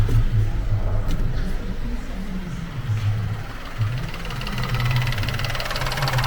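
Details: Vauxhall Crossland X petrol engine idling quietly and evenly after a new air conditioning pump is confirmed as needed, with the alternator belt removed; low steady hum, no whine or rattle from the belt drive.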